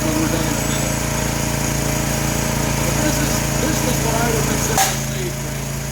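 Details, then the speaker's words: New 212cc Predator engine repowering a homemade log splitter (replacing a 5hp Tecumseh): steady, even drone at high throttle, no misses or surging; repower judged successful. Normal running. "looks good that's good so this is a successful repo"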